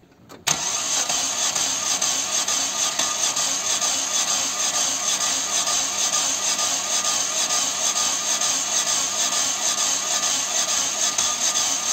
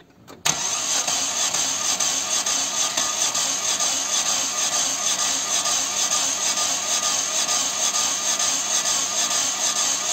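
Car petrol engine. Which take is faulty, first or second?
second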